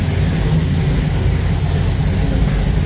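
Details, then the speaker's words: 1974 Ford Bronco after engine swap, V8 with Holley Sniper 2 fuel injection and MSD ignition, fuel pressure about 60–65 PSI, timing set: fires right up into a deep, steady, even V8 burble at idle with no misfires or knocks; normal idle. "noise might not come out good on the camera but yeah it fires right up"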